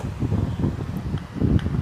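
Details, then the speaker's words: Ceiling fan with bearings already replaced and capacitor and coil tested OK, mic on the fan: silent when spun by hand, but on direct mains supply it gives a loud, uneven low rumble instead of a quiet whir; abnormal noise when powered. "जैसे ही इसमें हम supply देते हैं तो हमारा fan आवाज करता है बहुत ज्यादा।"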